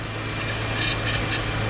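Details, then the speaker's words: 2005 Acura TL just after transmission replacement with exhaust refitted, low coolant and a broken VTEC pressure switch: steady idle hum with an intermittent high scraping chirp coming and going; something spinning is rubbing, source not yet found. "Hey guys, so it's rubbing. See that"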